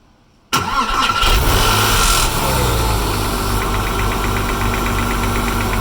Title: 996 Cold start ticking sound